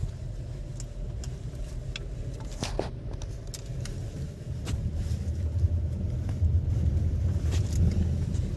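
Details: VW Taigun/Virtus driving: scattered light ticks and rattles from all doors over low road rumble, caused by the door beading (seals) rattling and rubbing.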